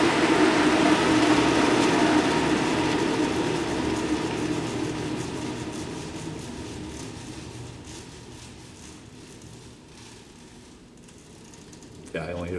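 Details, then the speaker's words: Cincinnati Milacron Cinco 15 centerless grinder, 220 V three-phase, everything shut off with the oscillation already down; even whirr fades smoothly to near silence over about ten seconds with only faint belt noise, no rumble or grind; normal spindle coast-down. "we can listen to the spindle post down when you're ready good all right here we go shut it all off kind of get to hear a lot when it's quiet"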